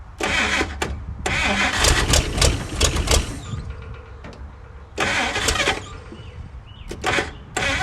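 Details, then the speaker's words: 1956 Chrysler Windsor, not run in 5+ years, rebuilt starter just fitted, fed sprayed fuel: it cranks in short bursts, catches, sputters and dies each time; fires then dies, likely getting no steady fuel from the tank. "But without a steady stream of fuel, it's probably just gonna keep dying on us. But we have proven that it will run."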